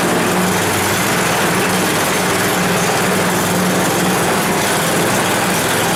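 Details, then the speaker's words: 10 HP Tecumseh Yard Machines snowblower, long unused, warming up: loud buzz with uneven wavering note; rough running, better on half choke, dirt in carburetor suspected needing cleaning. "so i'm not super happy there so it's not super happy so uh looks like there's some more stuff in that carburetor that needs to get cleaned out to make it run a little better"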